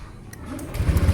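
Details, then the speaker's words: Motorcycle with dry (sealed) battery after repair, battery earlier read above 12.5 V but wouldn't crank: brief starter whir, engine catches into quick even pulses; starts cleanly on repeated tries. "Dan apakah mampu untuk starting motor starternya kita coba nah dia hidup ya oke kita coba kembali satu ini yang kedua Oke mampu kita coba lagi yang ketiga"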